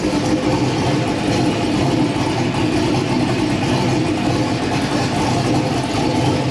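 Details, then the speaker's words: LS-swapped V8 "Bob" just converted to methanol, idling through its warm-up cycle while data is logged: steady lumpy idle, even rumble, no misses or knocks; normal warm-up idle. "sounds pretty good all right hopefully you can hear me but we're trying to let it warm up a little bit get through the warm-up cycle so we can see all that stuff in the data logs and make sure everything is okay"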